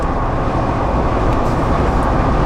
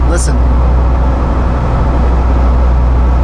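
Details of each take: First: Jeep JL Wrangler with 5.13 gears at about 75 mph, after its poorly balanced front and rear driveshafts were fixed: steady low road rumble with no oscillating buzz, hum or shudder; normal driveline at highway speed. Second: Jeep JL Wrangler on the move: deep, oscillating low hum that comes and goes like a rolling wave, felt more than heard, from a vibrating front driveshaft; driveline vibration.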